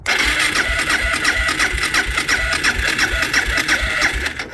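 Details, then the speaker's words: Suzuki DR650 single after winter, after replacing a fuse and the battery (about 13.5 V), choke pulled: steady fast chuffing crank about three beats a second with a bright whirr, spinning freely. "ah yes as you can hear sounds [Music] like starting up but she's going so success"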